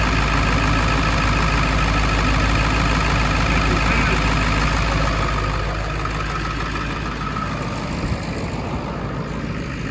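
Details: 1999 Ford F250 Super Duty 7.3L Powerstroke diesel after rebuilding the EBPV turbo pedestal for an oil leak and repairing a connector: even, steady idle clatter about three beats a second, no misses or knocks; healthy.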